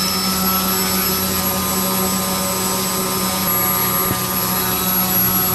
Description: This vid shows the high efficiency of the Castle Talon 25A ESC, Rimfire 400 brushless motor and APC 9X6 thin electric propeller at half throttle.